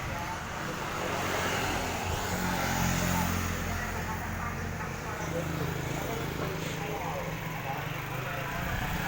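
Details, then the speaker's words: Yamaha R15 ridden on the road after fitting a new part for its stuttering, worse in cold weather: even engine drone under road and wind noise, pulling steadily without stutter or misfire, much better than before. "Antara yang sebelumnya dan yang sekarang, ini jauh lebih baik. Yang sekarang lebih baik dari sebelumnya."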